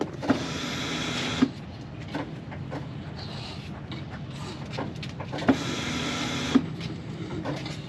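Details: 1999 Jeep Wrangler TJ, key-on: two separate buzzing hums about a second each, a few seconds apart; fuel pump priming normally.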